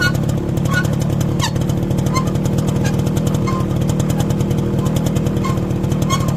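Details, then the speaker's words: Motorcycle riding with newly replaced rear drum brake shoes: short squeals and scraping chirps popping up over the engine putter; dirty new shoes squeaking in the rear drum. "ये देखा आपने कितनी बुरी आवाज़ आती है कि आप लोग खुद अकेले जा रहे हों, फैमिली साथ हो, अजीब अजीब आवाज़ें पिछले व्हील से आती हैं।"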